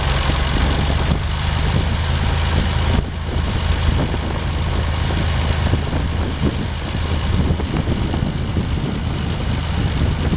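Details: Massey Ferguson 135 diesel tractor, cranked until oil pressure showed before letting it start: catches and settles into a steady even low chug with no knocks or misses, normal healthy start and idle.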